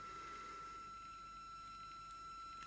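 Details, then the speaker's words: Sky-Watcher HEQ5 Pro mount with stock gears, before the Rowan Astronomy belt modification, slewing in RA at the fastest rate 9. A steady high stepper whine that is fairly quiet at speed, then a nasty rough grinding surge as it stops and starts. "As you can hear, it's not terrible. Certainly once it gets up to speed, it's actually reasonably quiet. But you get that nasty grind when it stops and starts."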